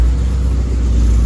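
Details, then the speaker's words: K-swapped Honda Civic race car idling just after first start in two years: deep even rumble, no ticking, knocking or hunting, 90 PSI oil pressure, fuel leaking. Clean first idle. "It's alive. It's alive. And it's making 90 PSI oil pressure."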